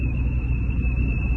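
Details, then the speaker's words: Car on the road with a thin, loud, steady whistle over road rumble that rises with speed; caused by a broken exterior body piece letting wind in. "دي مكسوره فبتدخل صوت هنا، بتعمل صوت صفاره عالي جدا."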